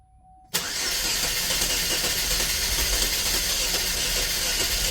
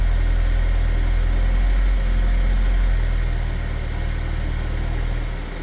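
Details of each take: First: 2010 Chevy Equinox, about 112K miles, oil-burning with heavy blow-by, started during Seafoam ring cleaning with air intake off: catches abruptly into loud hissy uneven run with no settled idle; owner suspects missing airflow reading causes it. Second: 2010 Chevy Equinox, about 112K miles, after Seafoam ring cleaning and air box refitted: steady, even low rumble with a smooth regular beat, no misfire or ticking; normal idle.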